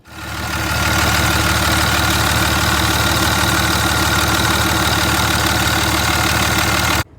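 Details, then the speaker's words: 2003 5.9L Cummins diesel, 3rd gen, after idler pulley and belt replacement to cure a belt squeak: steady, even diesel clatter at idle with no squeal or chirp; normal idle, engine running smoothly. "so we got that pulley changed out the truck's running great"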